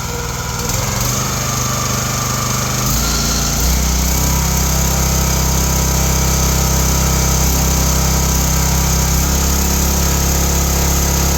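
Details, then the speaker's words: Kohler 65 small single-cylinder engine on a log splitter, after carb cleaning, new plug, oil change and hydraulic oil top-up: throttles up, then settles into a steady, even drone with no knocks or misses; runs normally after service. "all right service is all done let's see how it runs ignition on fuels on throttle up a little bit there you go sounds"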